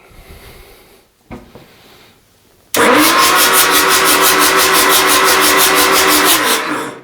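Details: Rebuilt Isuzu 4BD1T diesel in a Hitachi EX120-2 excavator, first start attempt. The starter cranks in an even four-to-five pulses a second for four seconds but it never fires; the fuel cutoff was later found set in the wrong position.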